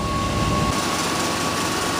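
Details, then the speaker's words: 1966 Ford Thunderbird, cold start with choke plate still closed: steady, even low drone with no knocks or misses, idling a little low (should be about 1500 rpm); normal cold idle. "there we go yeah she's idling real good look at there I like that"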